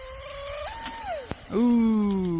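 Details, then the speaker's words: Wooden shrimp rigger RC boat, TP Power 2967 5250kv motor, Shark G2 100A ESC, first prop run: high whine climbs and dips, sharp snap, then whine surges freely unloaded; flex shaft previously repaired with JB Weld snapped, prop lost. "that sounded like a broken cable. Shit. No. Alright, I'm not going to move it just in case it snapped and stayed in."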